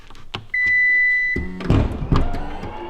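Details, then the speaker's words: 2017 Lexus RX350 F Sport rebuild, power liftgate closing: steady warning beep, motor runs with dull thunks and the gate struggles and reopens instead of closing; owner suspects the aluminum gate is bad after rear damage. "another thing is when you're closing the gate I don't know if you can hear it but I think the gate is bad also it's aluminum"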